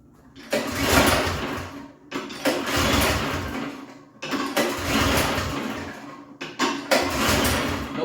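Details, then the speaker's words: Toro snow blower gasoline engine after long winter storage with fuel in tank: four rope pulls each a short churn dying without firing; cranks but won't start, clogged carburetor float bowl pin hole found as cause. "Usually, when it doesn't start, it's due to the carburetor gets clogged up."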